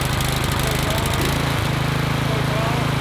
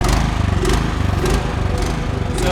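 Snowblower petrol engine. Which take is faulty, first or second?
second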